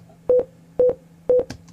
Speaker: did you did you hear the beeps let me play it for you again the beeps are telling me that my audio needs rendered